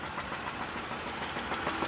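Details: 2000 Monte Carlo engine idling, not revved, with a steady fast knock over a thin, hissy background despite recent bearing work; owner plans an engine swap.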